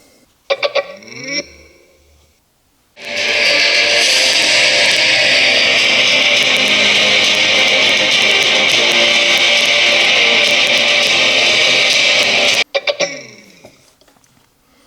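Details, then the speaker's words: JBL Charge 3 speaker opened up, played at high volume: thin bass-less music with harsh crackling on both speakers; owner suspects the battery is not supplying enough current. "Well, the noise seems to be on both speakers at the same time. Could all the noise be just from having a bad battery and it not uh giving enough current for it to work?"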